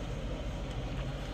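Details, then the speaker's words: 2013 Prius blower fan motor just replaced, fan set all the way up. Steady, even rush of air over a low hum with no rattle, tick or squeal: normal blower operation at full speed after repair. "all the way up fans all the way up"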